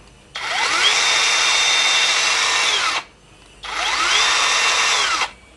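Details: Nagawa BCS 180 cordless mini circular saw on a Makita LXT battery, free running: two clean runs, smooth high whir spins up, holds steady a few seconds, then winds down evenly; healthy saw.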